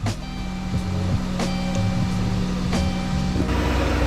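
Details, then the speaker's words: Dodge Caravan that would not start, just after fuel pump replacement: engine catches once fuel builds and settles into a steady, even idle with a low hum and no misses or knocks; a normal start and idle. "See if it starts. Let it build up some fuel. Woohoo."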